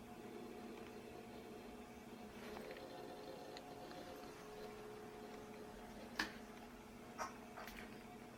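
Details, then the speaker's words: Power Macintosh 6500/275 hard disk revived after being smacked, powered on again: steady low hum, faint even whir, light clicks; spinning up and working normally. "oh man it is working heck yes so you're still working after all huh"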